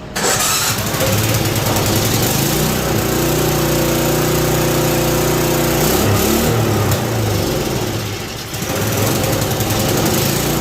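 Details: Ariens 524 snowblower during mechanical restoration, started after the fuel was swapped, oil changed and starting fluid sprayed into the intake: small single-cylinder engine catches and settles into a steady, even putter with a brief sag and recovery. Running normally.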